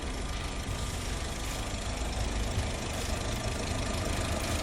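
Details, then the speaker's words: Used car engine check, example of a good engine, test revving to about 3,000 rpm and releasing: even, steady note with no tapping or knocking on deceleration; engine healthy and smooth. "veja se não tem barulho estranho quando acelera a uns 3.000 giros e tira o pé por exemplo ele não deve ter batidas anormais quando está desacelerando escute Esse motor bom no vídeo que eu vou colocar"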